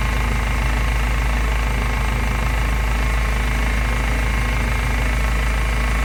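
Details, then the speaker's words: Honda Civic EG race car at idle after fitting aftermarket power steering pulley (same rib count, torqued 64 Nm): loud idle with constant high whine on top, unchanged; power steering pump whine, air bubbles seen in reservoir, fluid looks low. "Sounds the same, doesn't it?"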